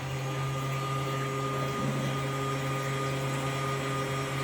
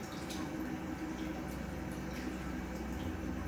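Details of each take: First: Kings 12Ah power pack (about 10 A output) running two 1100 GPH bilge pumps: steady low drone at fixed tone while drawing about 15 A at just under 11 V, overloading the pack until it cuts out. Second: Single 2000 GPH pump on a Kings 12Ah power pack for a highbanker, drawing just under 7 A at around 12 V: quiet steady hum with water gurgling, no surging, running smoothly under constant load.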